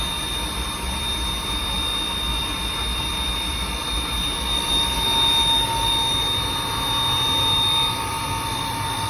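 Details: Riello 40 F5 oil burner running; constant high thin squeal holding one pitch over the burner roar; probable cause a sealed motor bearing with no lubrication points, not confirmed.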